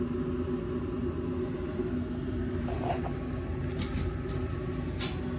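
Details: Brand-new gas furnace after clearing a bug or moth that stopped the draft motor and reassembling: steady low burner and fan rumble, no scraping or rattle, a couple of faint clicks; normal furnace operation.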